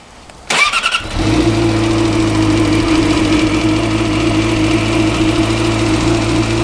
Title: Weird engine rattling noise